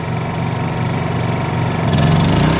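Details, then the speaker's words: Honda 2200 W generator on propane powering a Dometic 15k RV AC with Softstart: a steady drone, then the pitch steps up and holds as the AC compressor kicks on, with the app showing about 1580 VA. Healthy load response. "and there goes the big kick up so now the compressor is running up here"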